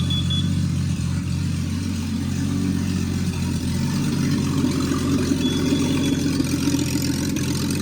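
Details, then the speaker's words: Rebuilt Triumph TR6 engine, first run after warm-up with chokes off and distributor adjusted. Hard to start when cold; now a steady, even fast-idle drone with no knocks, misses or ticking. "So she runs well. It was tricky in the beginning when there was no when it was cold, but now it is but once it warmed up and I turned the chokes off, it's running pretty well."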